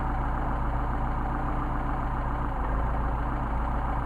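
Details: Mercedes 190SL with tested Solex carburetors, idle mixture screws set to the midpoint after adjustment: steady, even idle with no stumble, hunting or misses; mixture sounds right.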